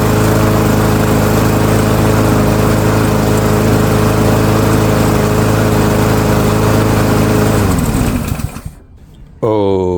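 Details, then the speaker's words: Yard Machines by MTD self-propelled mower, PowerMore 139cc OHV engine, customer says won't start, before tune-up: steady even single-cylinder drone, no misses or knocks, until shut off; complaint not verified, runs fine. "so customer's complaint not verified. Mower runs just fine."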